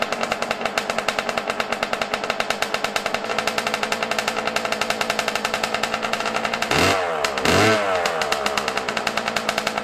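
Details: Yamaha YZ125 two-stroke, cold at around 20 degrees, not warmed up, during carburetor air screw and idle adjustment: a sharp, fast popping idle with uneven pulses and two quick throttle blips, running off-tune.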